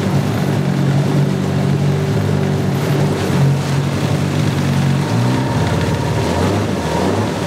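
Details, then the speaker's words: Salty Yamaha 9.9 two-stroke outboard after carburetor cleaning and no-shift repair, air silencer off: steady buzzing drone that dips and picks up, running and taking gear, slight carb spitting; normal running. "It runs, it shifts, it pees."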